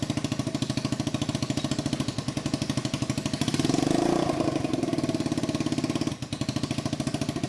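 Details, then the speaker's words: 150cc Yerf Dog shifter kart on first test drive with temporary oversized wheels and too-tall gearing: the engine runs super lean, giving a rough, uneven popping idle that swells on throttle with spitting pops, heavy backfiring and little power. "uh two the engine is not running right it's running super lean uh so it's backfiring a ton and doesn't have that much power"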